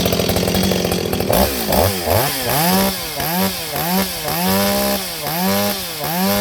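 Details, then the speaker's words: Repaired Stihl 026 chainsaw with an aftermarket muffler, baffles removed, hollow, fitted with a pipe; started in a cold shop. Starts, then quick repeated rev blips with crisp pickup and clean drop-back. Runs good, oiling good, healthy. "runs good, oil's good. I don't know what else I can say."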